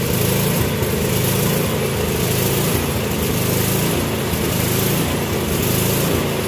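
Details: Troy-Bilt two-stroke leaf blower after clearing the air vent, float modification and new spark plug, started without choke: steady, loud buzz with slight regular pulse, no misses or surging; running normally.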